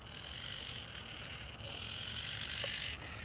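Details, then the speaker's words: Small plastic gearbox of a toy, after greasing and swapping the top and bottom gears: steady, slightly rough whir and hiss as it turns by hand, no more repeating clicks (screws not yet refitted). "notice no more clicking when I turn this"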